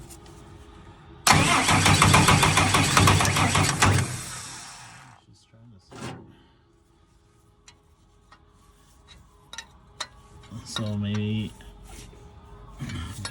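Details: Tucker Sno-Cat diesel that stalled at season end and sat over a month; it would start and die, and now only cranks. A few seconds of hard cranking never catches, then quiet with brief bumps. Cranks but won't fire; cause not yet confirmed.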